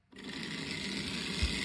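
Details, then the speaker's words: Simple homemade DC electric motor on a classroom power pack at 2 volts; quick spin-up to steady high buzz with faint brush chatter; runs evenly, speed depends on brush-tab contact pressure. "It'll go, but usually our motors will run straight off the switch, so long as you're lined up and you've got enough pressure on these."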